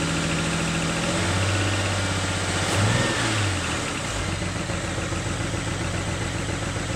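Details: BMW N54 engine revs, then settles into an uneven, lumpy idle with a stumble about every quarter second. Engine misfire, cause not yet found.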